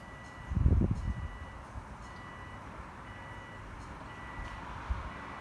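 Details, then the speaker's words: 2006 Subaru 2.5i with a swapped JDM WRX engine and 6-speed, first start attempt after install: single dull thump, then a high warning chime about once a second with no cranking; starter won't crank, one starter wire left unconnected. "now first issue we have the starter won't crank oh there we go you can't crank it over"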